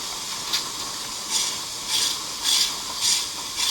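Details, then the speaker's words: Nevada Northern steam locomotive: regular hissing chuffs about 100 a minute, evenly spaced, no bass thump, from the smokebox-mounted steam air compressors keeping brake pressure up; normal operation. "and so as you hear different video clips of this the st"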